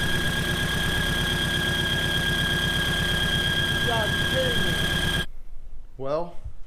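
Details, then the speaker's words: Honda engine with a used VTEC cylinder head stored six to seven years, at idle after swapping in another set of cam caps: constant shrill whistle over the even idle until shutdown; owner suspects camshaft or mixed-up cam caps, unconfirmed, water pump still unchecked. "but the squealing I'm almost certain is coming from the camshaft"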